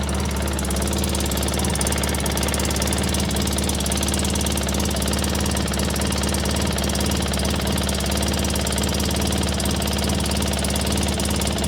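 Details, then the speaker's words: 2003 Polaris Sportsman 600 ATV idling just after the starter fix: sharp rapid ticking in the exhaust note, with air felt at the head pipe from a cracked Y-pipe, which may be contributing to it not warming up well. "I do feel a little air coming up in that headpipe. Ah, there it is. We got a cracked Ypipe. very common on these things."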